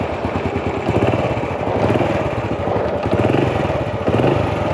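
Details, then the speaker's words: Honda Wave 100 U-box small single burning oil with no power, steady idle: soft regular clack on each beat; suspected worn clutch rubber dampers, to be opened; also slight cam chain and tensioner noise, piston rings due. "ตัวนี้เพราะมันมีเสียงดังที่ลูกยางคัทชเลยได้ยินมั้ยครับเสียงเบาๆกักเดี๋ยวต้องแกะดูก่อนนะครับแต่ว่าสันนิษฐานไว้ว่าน่าจะเป็นที่ลูกยางคัดนะครับ"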